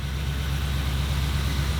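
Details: 1977 Ford F-250 460 V8 after the initial break-in is complete, timing set to 10° BTDC. Deep, smooth, even rumble with no skips or ticking: normal idle.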